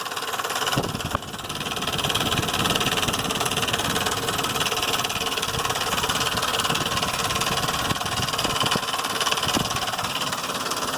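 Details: 2005 Ford Explorer 4.0 V6 at idle: busy, fairly regular light ticking or knocking over the engine note; owner suspects lifters or timing chain, not confirmed.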